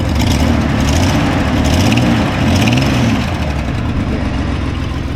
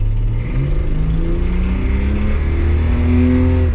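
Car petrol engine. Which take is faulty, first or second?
first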